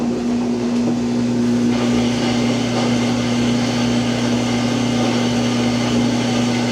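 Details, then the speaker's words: Samsung washer on spin cycle: loud steady low droning hum, no clean rise in speed, tub shifting around; spin won't complete. "Spin cycle will not spin. Now it's starting to spin, and it's probably going to make that noise again."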